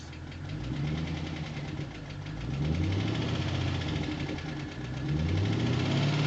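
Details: 2009 Pontiac G8 GT V8 at idle: rough low rumble with a light, quick tapping mixed in; lifter tick.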